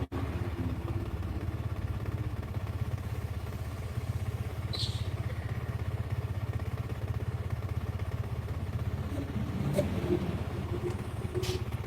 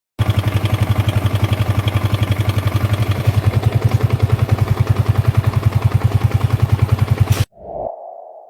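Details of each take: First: Small single-cylinder motorcycle at idle after repair; low even steady beat, no top-end rattle, earlier frightening noise gone; healthy, pending test ride. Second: Small single-cylinder motorcycle at idle before repair; steady fast thrumming with rough rattly edge on each pulse, klek when stopping; mechanic first suspected crankshaft balancer but found loose cam chain tensioner letting chain slap.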